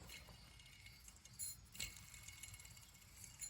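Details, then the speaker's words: 2004 Duramax LLY diesel, removed idler pulley spun by hand: dry, gritty rasp with scattered ticks as it coasts, bearing has a lot of play; worn idler pulley bearing, being replaced along with the others. "These are all coming apart nice and easy. That one sounds terrible too. It's got a bunch of play in it."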